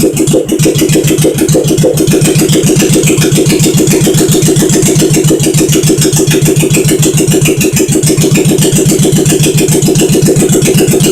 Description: Firing up my 1971 SL350 after engine rebuild